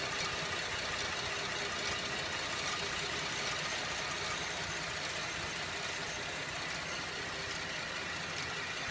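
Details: 2011 Buick LaCrosse CXL petrol engine at idle: slow, even metallic tick a little over once a second, slower than engine speed but quickening on acceleration, located with a stethoscope; cause unknown.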